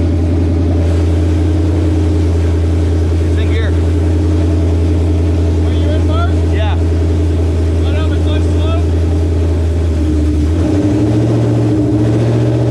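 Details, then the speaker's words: Mustang with built engine, first start after transmission and clutch repair and clutch bleed, exhaust not fitted: loud, even open-pipe rumble holding steady then lifting slightly, no knocks or clutch chatter; runs clean. "All right, this is the first start with the trans and clutch all fixed, hopefully. We're gonna test it out and see."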